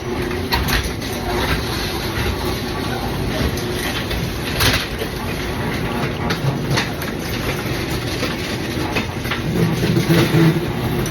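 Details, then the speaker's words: Garage door opening before its worn metal rollers were replaced with sealed-bearing nylon Dura-Lift Ultra-Life Max rollers: a steady harsh grinding, rattling, creeping rumble. "listen to it as it's kind of going up in this kind of creeping and sounds terrible"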